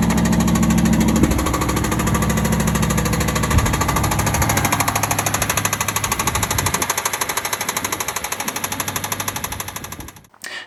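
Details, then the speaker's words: 2008 Aston Martin V8 Vantage 4.7 V8, average mileage and condition, at idle: a heavy, steady knock about three beats a second from a failed big-end bearing; expected to need a new crankshaft, rods, and pistons. "now we've got a 4.7 2008 car here it's of average Mars and average condition and it's got a big M bearing failure as you can hear from this video"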